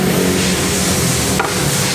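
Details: Honda Revo 110 (Revo Fit) motorcycle with noisy engine, top end open: steady idle under a busy metallic sizzle and clatter, a worn, loose cam chain rattling; oil was also found not reaching the cylinder head oil hole.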